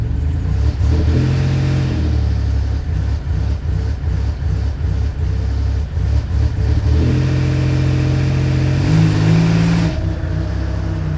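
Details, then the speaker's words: Buick WE4 running rough, owner suspects the coil pack or a plug wire and plans to fit a spare coil pack. Uneven, stumbling exhaust beat at low revs with dropouts in the rhythm, smoothing as revs rise: a light-load misfire. "right she's missing but I think I have a spare coil pack in the truck so we're gonna check and if I have it I'll throw that on see if that helps cross my fingers"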